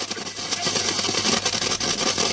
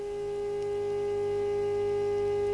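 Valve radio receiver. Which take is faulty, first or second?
first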